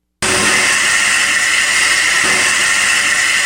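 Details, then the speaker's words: V8 engine on throttle: steady loud hiss of air rushing through the intake manifold, a big sucking noise from the huge volume of air drawn in; normal intake sound. "what you're actually hearing is the air coming in through the intake manifold of a v8 inch and just really and it sounds like that big sucking noise because it phenomenal amount of air that's coming in"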